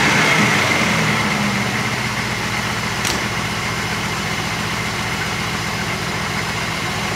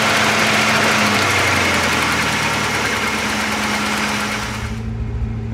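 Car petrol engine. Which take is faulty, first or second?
second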